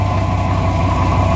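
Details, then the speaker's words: 1999 Dodge Ram idling with steady low idle and fine loose metallic clatter, resembling bad valves but no exhaust hole; something broken loose inside the catalytic converter, internal rattle from a bad catalytic converter. "like something is loose going like this inside and it really is something loose inside but this is what it sounds like there's a bad Cali converter"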